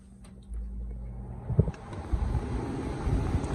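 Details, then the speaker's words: 2004 Hampton Bay window air conditioner with Rotorex compressor and mechanical controls, switched on: soft click, then a low, smooth hum with light clunks; quiet, healthy compressor and fan start. "Very quiet. This is from 04."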